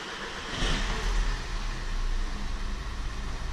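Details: VW Jetta start after replacing the failed high-pressure fuel pump: short crank, catches at once and settles into a smooth quiet idle; EPC light still on from the stored fault code, no leaks seen; clean normal start.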